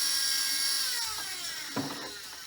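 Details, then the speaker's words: Fronius inverter cooling fan (Galvo/Primo/Symo/ECO range), speed controlled by the inverter: high whir falling as it spins down, with scraping bursts. Debris fallen from the heat sink into the fan is suspected. Noisy fan. "But so what can happen is debris can fall down here and get stuck in there and end up through the fan and be causing it to be noisy like that, or causing it to stop altogether."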